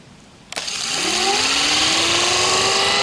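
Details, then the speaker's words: Rebuilt Raymond electric motor run on battery, with new brushes and brush holder at the start of break-in: it spins up with a rising whine and loud, hissy brush rustle. The brushes are not yet seated to the commutator. "i didn't want to have it running while i was talking because you just can't hear me but then the motor should get quieter and we should see a different patina there"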